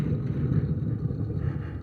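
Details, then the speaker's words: Dodge M37 wheel turned by hand, bolts found loose elsewhere; low steady rumble, rough and uneven underneath, other wheels quiet; suspected worn wheel bearing, not confirmed. "I'm gonna get out on a limb and say [Music] probably wheel bearing this one"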